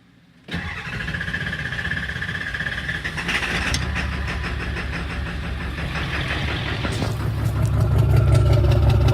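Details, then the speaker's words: 7.3 Power Stroke diesel V8 that is hard to start, burns oil and blows oil from the exhaust after a turbo and injector seal job: rough, lumpy idle; cylinders 2, 4 and 8 read misfire, but the buzz test is fine. "I've got cylinder 2, 4, and 8. It says it's a misfire, but the buzz test is alright."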